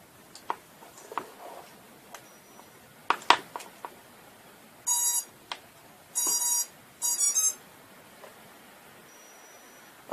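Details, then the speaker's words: ZMR250 racing quadcopter with KK2.0 board, props removed, arming on the bench after a crash: only a few short, thin, faint beeps among quiet clicks; the beeper, likely damaged in the crash, gives a weak buzzer beep. "armed it but it seems that my beeper from the accident has been broken so you can hear a small bead okay that is Birkin that must have been damaged in the crash which is most likely"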